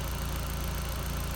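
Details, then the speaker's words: Audi TT 1.8T that had been dying down at idle, now running on a makeshift replacement fuel pump; steady even low idle, slight ramping, no stumbles or dying; fuel pump suspected as the cause. Normal idle. "It's still kind of ramping, but no, it's actually sounding a lot better. Yeah, it's not dying."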